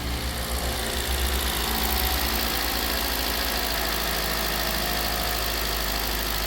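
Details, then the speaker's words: 2014 Hyundai Elantra at its first morning start after an oil pump and front cover replacement, oil pressure verified the night before: steady idle with a light, even tick and no heavy knock, sounding better than when it came in. "Oh, sounds a little better now than when it first came in."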